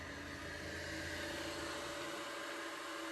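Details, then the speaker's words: Anycubic Mega S 3D printer newly running Klipper firmware but still on stock stepper drivers, hardware unchanged: a soft, steady motor whine with faint tones under a hum while printing; the noise is the same as before. "as you can hear uh the noise from the printer is pretty the same as it was before uh but that's the same driver"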